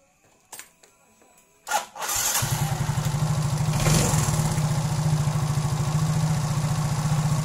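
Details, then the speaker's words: Yamaha injected automatic scooter (Mio J/M3, X-Ride, Soul GT) during throttle-body plunger idle adjustment; quick even putter still slightly too fast, idle too high, plunger needs backing out a little more. "ada terlalu tinggi juga ya kita coba sedikit kasih kendor atau kita rendahin lagi di bagian langsamnya"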